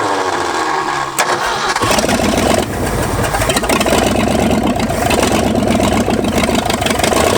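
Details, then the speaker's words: 1965 Ford F250 first start after 26 years abandoned: it cranks and catches, then runs unevenly with surging revs and stalls unless the throttle is pumped or held at high rpm; rough, unstable running. "and it just does not want to run unless I'm pumping that or way up in the rpm"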